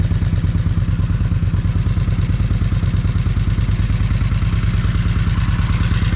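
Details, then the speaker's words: Vulcan 1600 V-twin just started after new battery sat charged: quick even clacking about three times a second over lumpy idle; rocker arm valvetrain clatter. "You can definitely hear them rock arms clacking."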